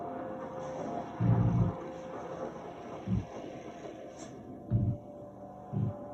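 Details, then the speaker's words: Sony HT-Z9F soundbar with wireless subwoofer, software 2.314: bass/low end repeatedly cuts in and out in short bursts while the sub's green link light stays on; intermittent subwoofer audio dropout. "So it's not working right now. Now it is there a second. You can hear it cutting in and out."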